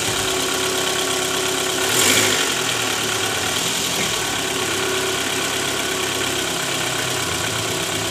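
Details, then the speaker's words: 2012 Toyota Alphard ANH20 (2AZ engine), 101,000 km, idling in D, roughness worst on cold morning start with A/C on: faint metallic jingling low near the oil pan; worn, loose balancer shaft, confirmed loose after removal. "Oke, teman-teman. Terdengar suara gemerincing samar di area bak oli. Gas pol, gas pol . Oke, teman-teman. Jadi, kemungkinan besar suara itu berasal dari balancer."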